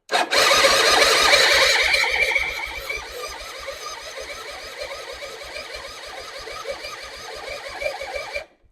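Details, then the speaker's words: 2005 Suzuki Intruder on a restoration project, using a borrowed battery: the starter grinds steadily for several seconds with no firing, though it had spark and briefly started once before. Owner suspects the carburetor or too much petrol. "Okay. Didn't want to do it again. Okay. I don't understand why."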